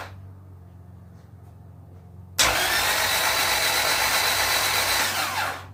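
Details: LS VTEC turbo build engine, first turnover after long sit, spark plugs out, priming oil pressure: smooth, even starter whir about three seconds with no firing; spins freely and oil pressure rises.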